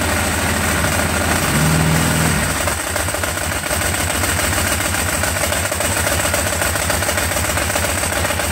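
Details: Ducati 749S twin that wouldn't start, suspected flooded: after refitting the spark plugs and reconnecting and priming the fuel pump, starter churns briefly, engine catches and settles into a steady, even idle with no misses.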